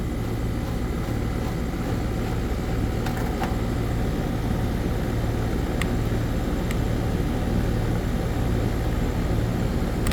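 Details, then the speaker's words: Air conditioner condensing unit restarted after a no-cooling call, bad run capacitor replaced with a universal dual run capacitor: steady low compressor hum at constant pitch with even fan whoosh, no clatter or buzzing; compressor running normally. "so now put the one back on but yeah she's running I know you hear the compressor"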